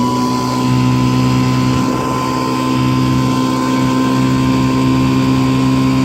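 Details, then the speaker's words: 1955 Johnson CD-12 5.5 hp outboard, rebuilt with new points, condensers, coils, wires, plugs, carb kit and fuel lines, first run pushing a boat on a pond: loud, steady, even drone, no misses or knocks, running healthy. "she's not real pretty but it's it's good runner so happy with it"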